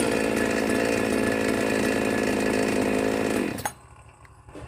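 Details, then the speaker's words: New Magnum G11 chainsaw, out of the box: steady high buzz holds a few seconds, then revs sag and the saw dies; won't accelerate and stalls due to carburettor limiter stops restricting adjustment. "ก็จะมาหาสาเหตุครับเครื่องใหม่ๆทำไมมันเร่งไม่ได้เร่งแล้วเหมือนจะดับ"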